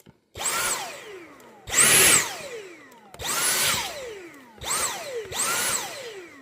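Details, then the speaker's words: Dyson V8 cordless vacuum on max suction. The motor surges to a high whine then fades repeatedly and stops working after 30 seconds to a minute; battery power delivery is suspected, not confirmed. "But if your Dyson sounds like this on max suction, and it won't work after maybe 30 seconds or 1 minute,"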